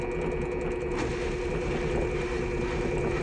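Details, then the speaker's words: Electrolux washer-dryer during spin, sound at the motor: drum spinning with a rhythmic ratcheting drag over a steady hum, not a bearing noise; the IPM motor drive module heats up during spin and oscillates, making the rotor drag. "Eu tenho para falar para vocês que isso daí é problema no IPM da lavadora, tá? Quando ela tá centrifugando, o IPM esquenta, ele começa a dar uma oscilada."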